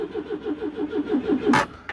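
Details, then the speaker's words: Citroen GSA air-cooled flat-four, long parked, in neutral with choke set and a couple of pedal pumps: steady cranking never catches, then a single sharp bang; suspected not getting fuel. "we'll give her a couple of pumps but I doubt it'll do any good whatsoever cuz she won't have fuel"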